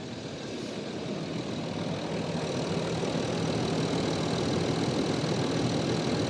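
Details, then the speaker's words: Land Rover Discovery 3 2.7L TDV6 diesel, 255,000 km, start-up after winter oil change with 5W-40: catches straight away, steady even clatter building slightly, a bit of ticking, no knocking or hunting; normal start-up and idle. "On the button, yes, like a kitten. So it's running good, a bit of ticking, but it's run 255,000 kilometers, so it's allowed to tick a bit."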